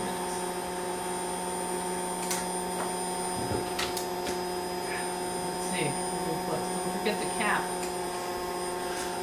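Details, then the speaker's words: Hot air rework station, used for about 10 years without trouble: constant loud airy roar with a steady hum and high whine underneath, louder than a healthy blower should be; cause not yet known. "listen hot air sounds like the leaf slower my hair sounds like like we need to have a funeral for it"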